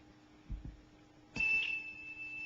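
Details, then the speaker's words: Commodore Datasette program tape played back on an ordinary Kenwood cassette deck: after a couple of clicks a steady high-pitched data tone starts and holds, the normal sound of Commodore program data. "I thought somebody would probably want to hear what one of these bad boys sound like played back on a normal player and it's quite quite a lovely little experience when you listen to that music"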